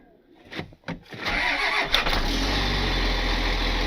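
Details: 4x4 wrecker diesel on a cold morning, oil and fluids checked: a few quick cranking chugs, then it catches cleanly and settles into a steady even idle; healthy cold start.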